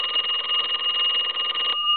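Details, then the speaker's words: Repaired telephone (box chest deco tel) on final checkout, extra rings since ringing was the problem: clear steady double-bell ring, even strikes, crisp tone, clean stop; ringer working properly. "i'm going to give it a couple more rings since that's what we were having a problem with"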